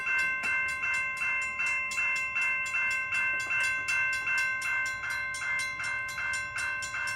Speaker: I'm going to activate the signals now to make sure that they are properly functioning before I call it a day.